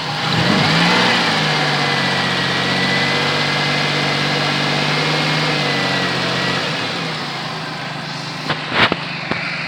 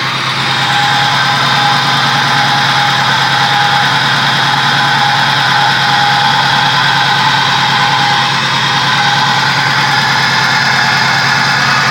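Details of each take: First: Pontiac Bonneville 3800 V6 that misfired, got coolant on the plugs and seemed to have a blown head gasket (P0171); after the upper/lower intake repair, coolant flush and oil change it idles steadily and smoothly, with no stumble or miss. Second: Pontiac 3800 V6 with a P0171 system-lean bank 1 code and misfire codes, run briefly: a steady, slightly uneven idle rumble with a faint hiss. An upper or lower intake vacuum leak is suspected rather than a head gasket.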